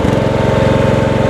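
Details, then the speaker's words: John Deere 160 lawn tractor, Kawasaki single-cylinder engine, 5-speed transaxle: starts and idles evenly, but with the clutch released dull clunking comes from the rear; transaxle case cracked, gears stripped, no drive. "wait a minute i don't know if you guys can hear that clunking wait a minute can you hear the clunking anyway he says it appears as if the case cracked in the back here the transaxle case cracked"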